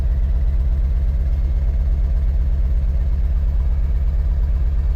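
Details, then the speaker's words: Deep diesel chug with uneven beat at idle: Ford Powerstroke truck, probably sat at least 3 years on old diesel, smoking. Suspected causes are a holed passenger-side exhaust manifold and a possible cylinder eight injector fault from an earlier scan. Unconfirmed. "She's definitely smoking. >> Might have a little exhaust leak >> a little bit. I think the passion side exhaust manifold has a hole in it."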